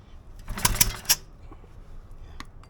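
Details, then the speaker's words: Kicho 2700 PSI car-wash pressure washer, unused over four years, compression check with plug removed by pulling the cord: quick run of firm even chuffs, engine resisting each stroke strongly; good compression, rings and valves seem fine. "Sounds like there's good compression. Sounds like there's good good compression."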